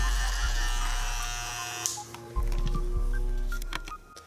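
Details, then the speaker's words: Andis outliner (G/GTX) clipper after zero-gap adjustment and a swipe and two dots of oil: steady, smooth buzz for a couple of seconds before shutoff, no rattle or dragging; blade runs freely, normal running. "So put a little oil on it. I just put a swipe, a dot, and a dot, and you cannot stop that blade. That's awesome."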